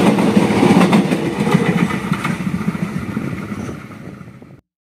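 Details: Train wheels passing a thermite-welded rail joint where a small dip has worn in around the weld: sharp repeating thumps about three a second fading as the train rolls away.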